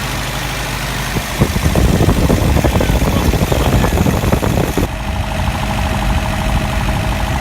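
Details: Engine idling after a manual fuel pump and regulator install, fuel pressure set a little over 2 psi: steady low rumble and even beat, no misfire or stumble; running normally.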